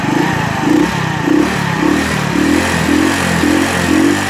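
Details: Alpha moped engine: revs rising and falling about twice a second with a hard clatter on top from roughly 4,000 rpm, plus strong vibration; knock of unknown cause.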